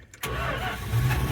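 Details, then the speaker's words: 1978 Dodge D150 Custom truck started after replacing a bad ignition control box, with a battery fitted and a now-working fuel pump. It catches immediately after a brief crank and settles into an even, steady low idle; a clean, healthy start. "Oh, there we go. It's a runner. Great success."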